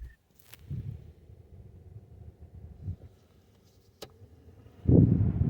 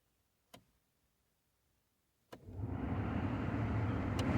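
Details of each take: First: Mk2 Ford Focus cabin heater blower after replacing the fan resistor (previously dead on settings 1 and 2): quiet, then a steady airy rush from about five seconds holding evenly on first and second settings; blower working normally. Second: Ford Focus Mk2 (ST225) cabin heater blower: switch clicks on settings one and two with no fan, then blower rushes in on higher setting; only settings three and four work, fixed by replacing the heater fan resistor behind the glove box.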